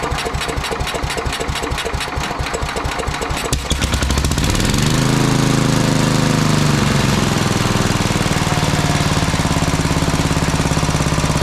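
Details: Sears Suburban 12 lawn tractor with a Tecumseh 12hp engine, barn-stored five or six years, started after rewiring and fuel tank work: sharp choppy cranking for about four seconds, then it fires and settles into an even, steady single-cylinder run.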